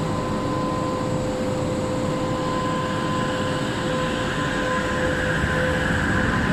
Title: Weird Fan Sound on LRT Kelana Jaya Line set 54 #klsentral #train